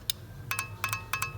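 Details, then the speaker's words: Known-good automatic transmission solenoid, plugs disconnected, bench-tapped with power from a meter tool on power and ground pins: crisp metallic clicks in quick pairs, showing it activates; the other solenoid gave no click and is bad. "So it's clicking. So that means it's working, it's activating, it's coming on and off, and it's doing the job."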